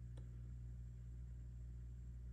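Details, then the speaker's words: Sound City L100W MKIII 100-watt tube guitar amp, EL34/KT77 power tubes, during bias adjustment: quiet steady low mains hum with a buzzy edge; mismatched power tubes let hum through, adjusting them can dial it out. "Maybe that's a common mode rejection issue. It is. You hear that? When your tubes aren't perfectly matched, sometimes you can actually, given the ability, you adjust them and"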